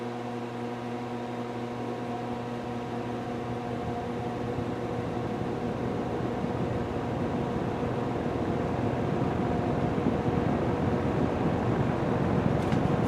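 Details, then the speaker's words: Restored old box fan started on low, recorded with the camera close to the motor: it spins up with a steady, even hum. There is a little extra hum from the speed coil and a faint buzz; otherwise it runs smoothly. "Alright, here we go on low. You got a little extra hum from the speed coil."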